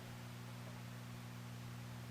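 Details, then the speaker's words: Vintage Sonny Jr. push-pull 6L6 tube guitar amp after replacing the noisy, arcing JJ 5U4 rectifier with a new-old-stock Sylvania 5U4: quiet idle with only soft steady mains hum and faint hiss, no crackling. "so now we have a nice new old stock Sylvania v u4 installed there's the old JJ and I do not hear any noise"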